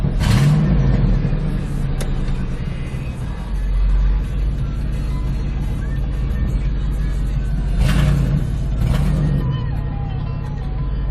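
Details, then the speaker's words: Ford F-150 5.4L 2-valve V8 with P0307 cylinder 7 misfire under load, after replacing the cylinder 7 ignition coil; plugs supposedly new: steady even low rumble in gear under light throttle, no stumble; scan tool shows no misfires. "all right we're in gear right now I I'm not see no misfires"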